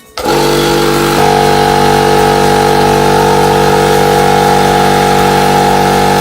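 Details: Air compressor motor kicks in and settles into a steady, even hum with a clean tone and no knocks or rattles; it pumped up quickly, and the compressor is running normally.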